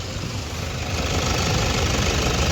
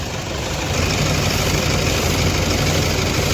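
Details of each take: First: Toyota Fortuner diesel that misfired with two injectors not working due to bad diesel fuel, after repair, warm at about 50 degrees idling: steady even diesel clatter, running perfectly with no problem. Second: Toyota Fortuner diesel that starts and runs fine cold in the morning but misfires and knocks once warm: loud, heavy idle with an uneven, lumpy beat and strong vibration; one cylinder misfiring.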